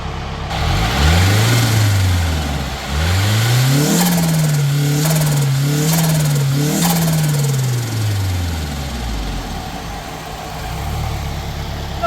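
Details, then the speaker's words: Nissan S12 with swapped SR20DET that lacked power at higher rpm, after fitting repair, warming up: smooth idle and light revs with even steady beat, no misses; sounds healthy. "Sounds like a smooth idle, so I'm just gonna give it a second to warm up a bit, and then I'm gonna give her a couple of revs, see if she sounds the way she did before."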